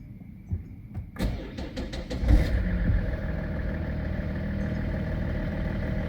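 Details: BMW E61 525d, M57 diesel, just after replacing the accessory and AC belts: a few clicks, short crank, then catches and settles into a smooth even idle with no belt squeal or chirp; belts sit steady, job done.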